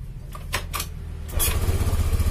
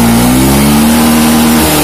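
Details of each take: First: Honda Beat FI scooter with fuel in the tank, before repair; starts, then idles with an uneven chug, rpm surging up and dropping back, and it dies when throttled; weak fuel pump pressure, traced to the battery. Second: Honda Beat FI scooter, after the battery fault behind its weak fuel pump pressure was dealt with; charging steady at 14 V; clean engine note rises smoothly with throttle and holds even, no hesitation or misfire.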